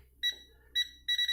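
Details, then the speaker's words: Tesmen voltage tester in non-contact voltage detection mode, held near a wall socket: two single high beeps, then a quick run of about five beeps in half a second as it reads a strong signal; fast beeping, strong signal. "là, il le sent vraiment haut, donc c'est un signal fort."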